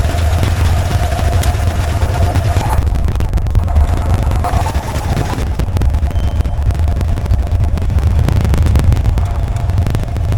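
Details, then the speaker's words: 1989 Ford F150: steady low engine rumble, even beat, no top-end rattle or clatter; yesterday's clanky knocking, suspected loose rocker arms or lifters, has cleared today. "Well, the engine actually sounds better today. And let me explain what I mean by that."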